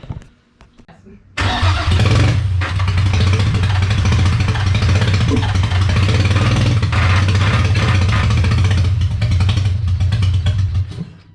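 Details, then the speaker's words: Freshly rebuilt VQ35DE swapped into a 240sx S13, on first start after a battery replacement: loud, uneven, wandering idle. Owner blames many vacuum leaks. "so the only reasonable answer as to why it's running the way it is is the plethora of vacuum leaks we got going on here"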